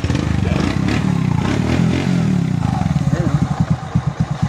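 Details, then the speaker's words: Kawasaki Bajaj CT125 single after fitting an original new cylinder block, cylinder head and valve seal: even, steady idle with regular low thumps and no rattle or knock; normal idle, connecting rod fine, not an overhaul issue. "na uli mga idol oh maganda na uli yung andar niya Syempre bago eh na uling ingay ah ligtas yung connecting rod"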